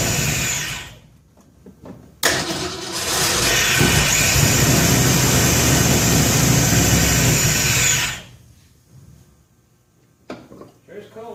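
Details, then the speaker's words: 1966 Ford F100 after new plug wires, carburetor not set, timing roughly 10 degrees, cam not yet broken in: cranks, catches, runs rough on choke about six seconds with uneven lumpy beat, then shut down; rough running. "and uh again the carburetor's not set timing's rough at 10 degrees"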